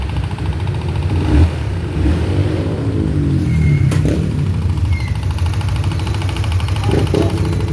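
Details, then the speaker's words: Motorcycle, noisy after a clutch cable replacement, owner blamed the cable: loud, uneven clacking over the idle caused by a loose spark plug cap misfiring; reseating the cap silenced it. "Alam mo kung ano yung umingay? Ayun oh, spark plug cap lang natanggal. Kaya pala lumalagitik-lagatik na."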